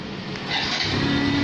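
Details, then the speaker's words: Yamaha Jupiter Z1 motorcycle with a CR7 alarm, engine started by remote (lightning button pressed twice) without the ignition key: small single catches and settles into a light, even patter with no misses or knocks; normal idle. "hidup tanpa kunci kontak."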